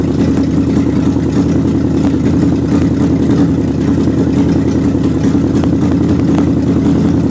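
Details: Old engine on a test run after fitting belts and radiator hoses to check the water pump; even, steady note without knocks or surges, though still some popping and missing, thought due to the carburetor gasket.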